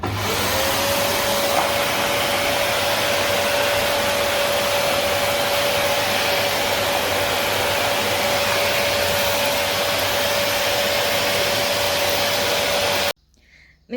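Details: Samsung SC4130 canister vacuum cleaner (1400 W nominal, 1600 W max, 220-230 V), test run: a steady, even roar with a constant mid-pitched whine holds for thirteen seconds, then cuts off cleanly; motor runs smoothly, normal.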